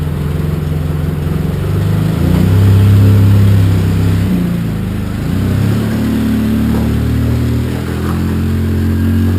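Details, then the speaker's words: Polaris Sportsman 700 EFI after a new Carter fuel pump was fitted. It revs up and settles cleanly and smoothly; before, it was gulping and fuel-starving from the failing pump. Normal revving. "sounds so much better that sounds so much better yeah smooth"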